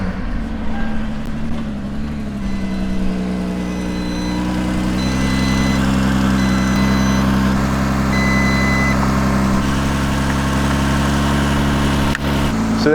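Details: Vehicle with a dead battery jump-started using a Novsight G5 compact jump starter: engine catches and settles into a steady, smooth idle, no misses or knocks, with a few short electronic beeps over it.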